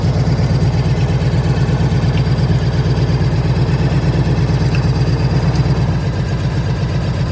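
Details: 1998 Harley-Davidson Ultra EVO, 83,000 miles, idling: loping big-twin beat with a light irregular tick, like something bouncing inside; source unidentified.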